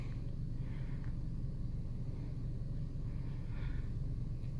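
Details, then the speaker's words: 2012 Chevy Sonic 1.8L, 71,800 miles, P0300 random misfire: idle with deep, slightly uneven rumble and a hard miss on cylinder three; spark leaking from boots suspected. "there was a Miss right there on cylinder three that was a hard miss I felt that just let her idle for a little bit"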